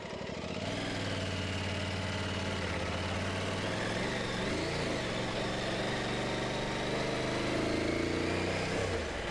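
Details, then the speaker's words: Motorcycle idling, with a loose, fast rattle at the front about four a second. The rattle persists after the steering head bearing was replaced again, following a 60 km/h impact into a drainage ditch. Cause unknown. "It's been rattling, rattling, rattling quite loudly in the front of my motorbike. Ah, I don't know what's going on exactly."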